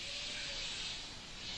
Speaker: that's the sort of noise you'll get guys with it but as i say because you're in this studio it'll be louder and we're on a table so it's like sound bouncing off that bouncing off the walls so it may sound louder in here but it works fine